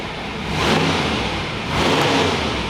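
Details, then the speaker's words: Supercharged Chevy 400 V8 on the dyno at wide-open throttle, after raising the low secondary carburetor floats and going from 80 back to 75 jets. A loud roar swells twice with no misses, pops or stumbles; it pulls smooth and strong and sounds good. "Sounded good out the back. It's good. Yeah, it's Sounded good. good out the back. Yeah, it's definitely good. It's smooth."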